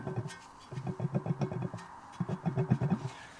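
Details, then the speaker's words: Mercedes T2 406D water pump removed and spun by hand: gritty rumble with uneven clicks from a dead bearing; its play ruined the seal, causing the coolant leak, so the pump is replaced. "as expected the bearing in here is certainly dead see if you can hear"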